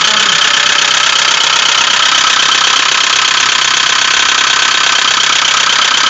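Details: 2007 Ford Focus 2 1.6 100 hp hatchback, 78,000 km, reinstalled after a crash and three years standing: fast knocking about 160 per minute at the rear of the engine after revving to 3000 rpm, with light smoke. Cause unclear.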